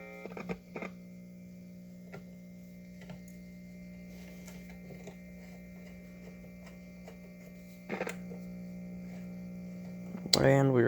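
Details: 1950s Zenith "Owl" model L515 AA5 tube radio, in for repair: dial lights but completely dead; steady low mains buzz with a few clicks and no programme sound; cause dirty tube sockets, has a replacement electrolytic.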